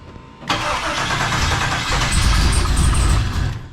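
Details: Trans Am with LQ4 408 cubic inch 6.7 litre stroker and stage 3 turbo cam: catches, runs rough and lumpy about three seconds, then dies; misfiring badly, later P0200 injector harness code and driver-side injectors not firing, suspected.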